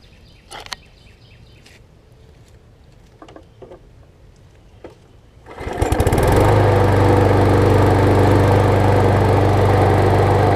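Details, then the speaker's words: John Deere JS25 mower, engine dated May 2008, after a new flywheel key, an oil overfill fix and a new spark plug: with the auto choke it catches on the first pull and settles into a smooth, steady drone without misses. "Good. That's the auto choke. It started on the first pull."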